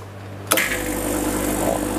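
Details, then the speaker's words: Milesto espresso machine at installation, switched on with empty boiler: sudden loud buzzing hum with rattly vibration as the pump draws air on first fill; normal, quiets once water arrives. "pada saat diwitch on air di boiler Kan semuanya Kosong Pak He sehingga dia memungkinkan untuk narik air aja kan enggak ada betul jadi dia akan ada suara ee berisik dulu ya Iya berisik atau kencang pompa menarik udara"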